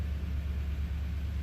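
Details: Toyota V8 started after a P2440 fix and cleared codes: steady, even low rumble with no misses, knocks or ticks; smooth, healthy idle, and the check engine light stays off.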